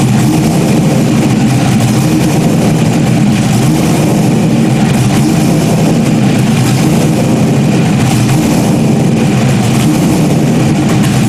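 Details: Stock-block 5.3 V8 race car just rebuilt after almost a year, idling after its first start: loud, deep, steady idle with a smooth even rumble and no knocks or misses. Healthy normal idle.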